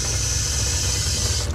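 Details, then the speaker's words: New replacement water pump under the kitchen sink of a 2021 Jayco 224 BH camper, switched on after install: steady low hum with rushing water that cuts back near the end; repressurizes and shuts off, working well. "Repressurizes and shuts off when it's done. So that's working well."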